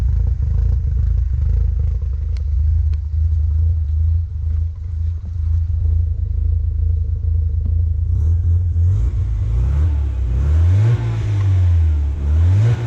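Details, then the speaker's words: 1990 Mazda RX-7 FC turbo rotary after OMP delete with block-off plate and new intake gasket, on a drive: deep even rotary rumble, revs climb and drop smoothly under load; now building boost, leak traced to OMP injectors missing vacuum lines. "successfully building boost now, which means those OMP oil injectors that didn't have the vacuum lines on were definitely our boost leak."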